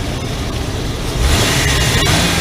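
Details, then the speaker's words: 2002 Nissan Pathfinder, check engine light, MAF signal watched during snap revs: short clean throttle snap, smooth even rise without hesitation; MAF voltage 1.5 rising to almost 2 V, cleaner waveform, problem apparently solved after securing the MAF sensor. "it's at 1.5 or round it up shot up to almost two the engine sounds much more better way better"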